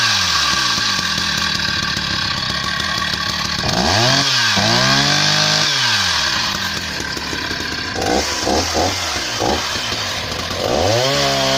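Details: Husqvarna 480 CD chainsaw on its first tank of fuel after a full rebuild with new OEM piston and cylinder; crisp revs climb and fall evenly between cuts and hold steady in the wood. Normal healthy running.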